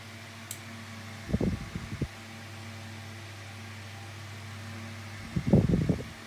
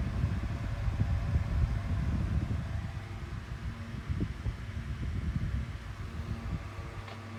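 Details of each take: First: 2000s Tesco DF96 9-inch desk fan on lowest speed with oscillation on: steady low motor hum with a burst of rapid clicking about every four seconds as the head swings; oscillation mechanism clicks but works fine. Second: 2000s Tesco DF96 9-inch desk fan bought new in 2022, on lowest speed without oscillation: low even hum with soft airflow thumps, nothing rubbing; running normally.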